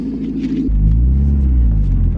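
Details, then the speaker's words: 1995 Mazda Miata 1.8L NA with a newly installed ISR Performance exhaust, mic on the rear bumper: deep, smooth rumble rising with revs, much quieter at idle. A small exhaust leak remains. "so we have the exhaust on Karson super good at idle like way quieter"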